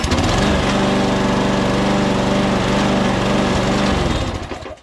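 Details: Mower with a Murray deck, built from three junk mowers and fitted with a new auto-choke engine and fresh gas, runs at a steady high putter, smooth and even, then shuts off and winds down; it is good to go.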